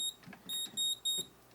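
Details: Moose Z1100e security alarm panel in a demo briefcase: a few short, shrill keypad chirps as 3 and the code are entered to recall alarm memory, which shows zones 1 and 6.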